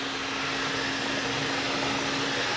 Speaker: it's running okay. A little flutter in there, but you start getting a fluttering noise and you hear it kind of dragging, you know, getting jammed up.